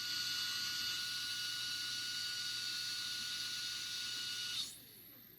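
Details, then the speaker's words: Sky-Watcher HEQ5 Pro mount after axis resistance and backlash tune-up, slewing 360° at rate 9 (fastest): smooth, steady high motor whine holding pitch, no catches or surges until it stops; slews freely without binding. "So I'll just take it all the way around 360 degrees and make sure there's no binding."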